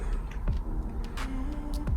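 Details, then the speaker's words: 2012 Renault Megane III GT Line, rear pad replacement with MaxiCom MK908P, ignition on: a couple of clicks then a steady low motor whirr for about a second as the electronic parking brake motor resets and calibrates normally. "Now it's resetting the rear brake,"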